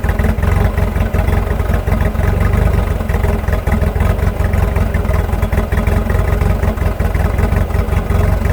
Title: 1986.5 Nissan hardbody rough idle